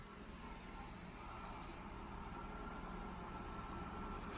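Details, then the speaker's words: 1992 Mercedes 600SEL idling with air pump off after exhaust leak repaired with new clamps: smooth low even idle, only faint spinning whir from engine bay, no puffing or ticking; normal quiet idle. "it's the only thing you hear is something is spinning in the engine bay wow this is nice very quiet"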